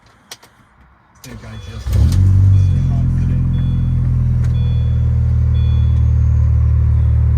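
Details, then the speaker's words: Mini Cooper John Cooper Works that was stuck in limp mode, cold start next morning: the starter cranks, the engine catches and settles into a steady even idle with no knocks or misses; it runs fine on this start. "this is very confusing you guys saw how it was running last night she appears to be running totally fine"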